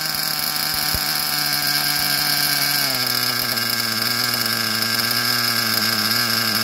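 High, buzzy small engine holds a steady, slightly uneven note that dips and settles after a blip, sounding rich and blubbery. Cause suspected, not confirmed.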